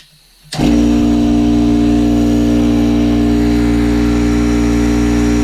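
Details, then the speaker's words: Rebuilt air compressor that previously ran nonstop without building pressure: the motor kicks in and settles into a steady, even pumping drone with no knocks, reaching 75 psi and getting hot; normal compressor running. "hey there we go we're registering uh 75 pounds right now so it is working getting hot already sounds good"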